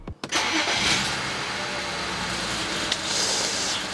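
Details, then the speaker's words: BMW 335i wagon, N54 twin-turbo, start after adjustment values were coded: the engine catches into an uneven, stumbling idle with turbo hiss, not running on all six cylinders; misfire. "wow well you can hear the turbos but it's still not running on all six"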